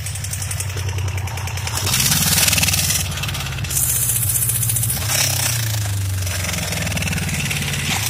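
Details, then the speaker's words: Suzuki GSX 600 Katana motorcycle at idle: fast, irregular tapping over a lumpy idle, louder on the right side. Suspected to come from the head, possibly valve adjustment or camshafts; not confirmed. "Ну, по всей видимости, стук идет из головки. Возможно, пора регулировать клапана или же смотреть по стеле распредвалов."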